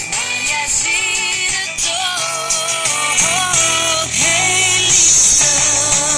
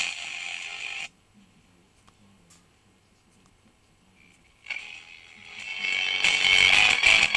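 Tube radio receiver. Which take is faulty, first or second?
second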